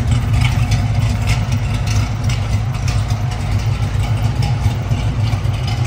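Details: 1969 Pontiac Firebird Trans Am replica, restored, rebuilt 455ci V8 with no. 96 heads, Edelbrock intake, 4bbl carburetor, stock Pontiac exhaust manifolds: deep lumpy burble at idle, steady and even with no tapping or misses; normal healthy idle.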